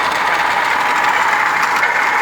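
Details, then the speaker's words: 2015 Hyundai HB20 sedan 1.0 12-valve with 30,000 km, idling with clutch pressed: loud, steady rasping roar high above a faint idle; water pump shaft broken and pump leaking, to be replaced; failed water pump bearing (broken shaft). "Ela quebrou o eixo, galera. Então, ele quebrou o eixo da bomba d'água. Um barulho forte, né?"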